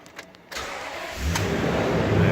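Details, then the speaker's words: 2011 Toyota Tundra 5.7 that had become a crank-no-start, after the fuel pump ECU was replaced (output went from 4.53 V to 11.95 V at 80% duty): it cranks, catches promptly and settles into a steady run. Normal start. "starts and run thanks"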